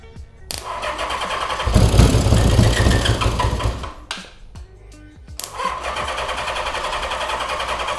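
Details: Honda CB550 barn find, 6,738 original miles, first start after decades sitting, starter solenoid weak: after a couple of cranks the four settles into a smooth, even run with no knocks or rattles.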